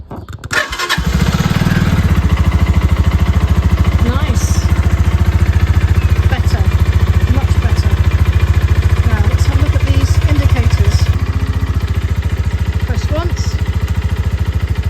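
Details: Motorcycle started after fixing its indicator and starter switches (it had kept stalling), clutch held: brief starter crank, catches straight away and settles into a steady, even idle; healthy start.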